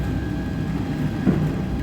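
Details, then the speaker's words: EOT crane motor after replacing all bearings; steady even low hum with no grinding or rumble, no noise now. "ನೋಡಿ ಸ್ನೇಹಿತರೆ ಎಲ್ಲಾ bearing replace ಮಾಡಿದೀವಿ ಇವಾಗ ಒಟ್ಟು noise ಇಲ್ಲ"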